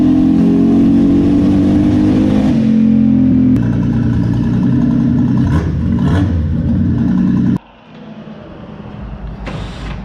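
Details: Datsun 280ZX with misfire, after swapping in a different set of spark plugs: revs hard at full throttle, then turns choppy and stumbling near the top before throttle closes; plug swap did not fix it, coil swap next; cause unconfirmed.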